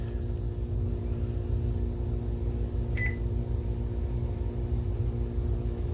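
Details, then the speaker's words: BenQ HT1075 DLP projector that overheats and shuts down after a few minutes; an exploded lamp shot glass into the blower fan, clogging it and damaging lower blades. Loud steady drone with a rough low rumble; damaged blower fan. "that didn't sound good we do have a picture though see we do well that doesn't sound good"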